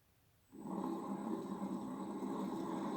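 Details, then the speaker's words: 1HP three-phase motor for Bridgeport mill, apparently wired for low voltage, first run on VFD at low variable speed in forward, before bearing replacement: steady hum with rough gritty rushing layer; appears to work electrically but bearings worn. "so on first inspection, other than the bearings, appears electrically it's working. Not liking this."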